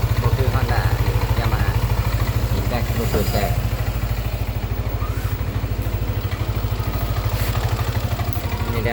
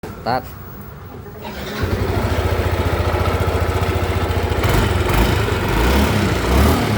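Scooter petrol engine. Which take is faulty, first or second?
second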